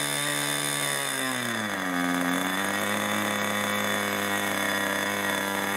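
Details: 1980s Irvine 40 MkII ABC glow engine with twin-needle carb, 10x6 prop, 7% nitro and 20% oil fuel, on its first run: a high buzz sags, then settles at a slightly lower, even, blubbery pitch. It is running rich.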